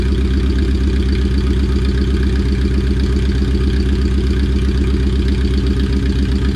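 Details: All-motor Honda on first start-up after a build, running on about five-month-old gas with radiator fluids and wideband wiring still pending; steady, even idle with a smooth low pulse and no knocks or misses: normal idle.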